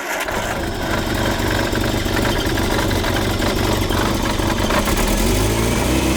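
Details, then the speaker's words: 1978 Triumph Spitfire 1500 running slightly for the first time after years parked: it runs unevenly and hunts in speed with a ragged beat. The rough running comes from untuned ignition and carburettors. "right we're so close we're so close but this old girl has now run ever so slightly for the first time in I honestly don't know how many years this car has been parked up"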